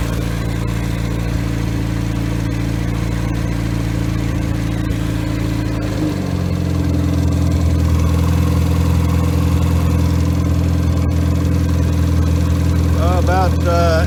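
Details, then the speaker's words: Rebuilt Triumph Spitfire 1500, head shaved to ~9.5:1, .270 cam, new pistons; compression 187/191/194/185; oil pressure 75 psi cold start, 50 psi at ~800 rpm idle: smooth idle, fuel pump clicking, clean rev-up; normal. "it builds good oil pressure about 75 at start when it's cold uh lowest i saw today was about 50 at idle and it was a low idle of about 800 so we'll crank it up let you hear it roar"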